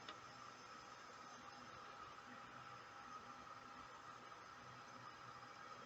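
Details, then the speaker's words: VEVOR 5.5 W CNC laser engraver just switched on and connected to LaserGRBL software: quiet steady fan hiss, no ticks or rattles; normal cooling fan running. "donc voilà là le bruit que vous entendez c'est bien le ventilateur voilà je disais la soufflerie c'est bien le ventilateur qu'on entend"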